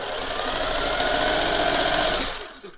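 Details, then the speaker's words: Thrift-store Singer 401A Slant-O-Matic sewing machine, untested and not yet lubricated, run at full speed then slow: a loud, busy whirring hum with gritty mechanical chatter; the owner suspects a potted, worm-gear motor and that it needs lubrication and grease. "Okay, it sounds a little like, but I think that might be because it has a potted motor."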